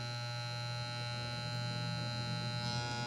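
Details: Wahl Legend hair clipper being adjusted after tightening housing screws: loud steady mains-rate buzz with harsh rattle, still noisy; blade adjustment not right, with loose housing or parts also possible noise sources.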